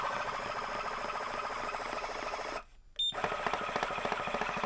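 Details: Simrad TP10 tillerpilot after fixing a loose wire connection, motor driving in one direction: steady whir with an uneven ticking knock about three times a second, knocking only when it winds one way; something inside the drive catching, cause not yet found.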